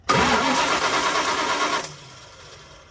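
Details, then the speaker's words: 1975 Dodge D200 crew cab, 360 small block, four-speed, long sitting: brief starter churn about three turns a second, never catches; crank no start with intermittent spark, owner suspects ignition switch, plans battery-to-coil jumper wire. "Got to be that switch because that's the only thing that changes. Yeah, no spark. That is really bizarre."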